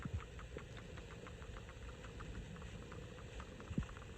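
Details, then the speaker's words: Dodge Dart 1.4L burning excessive oil, new PCV valve fitted (old one made no noise): quiet idle with a light regular ticking about five per second over the engine hum. Normal PCV valve ticking. "I did want to add to this video that when you have a new PCV valve a properly functioning one you're supposed to be able to hear a"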